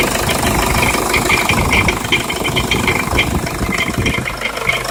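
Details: Jeep Liberty CRD diesel idling with a harsh, uneven metallic rattle and grinding; source of the noise not yet identified.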